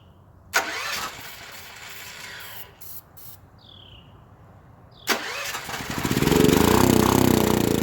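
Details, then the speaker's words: Long-stored auction generator engine that has sat for an unknown time, cranked twice on starting fluid; the second attempt catches into a rough, uneven, smoky run that builds but never settles. It runs only on starting fluid. "that's all my fluid guys I'm glad I didn't scrap this how cool is that man I counted that thing out before I even started on it look dagger motor runs"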